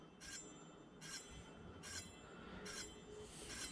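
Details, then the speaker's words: Samebike L026 version 2 e-bike, newly upgraded disc brakes, wheel spun after pulling caliper top toward him; disc possibly slightly bent. High scraping swish about every 0.8 s, still rubbing a little: brake disc rub from misaligned caliper. "i'm pulling the caliper towards me from the top spinning it okay we can hear it rubbing a little bit now"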